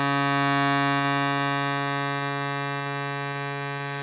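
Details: Shruti box after repeat filing of buzzing reeds, final test: steady pure drone with no rattle or buzz on top; formerly buzzing reed now sounds clean.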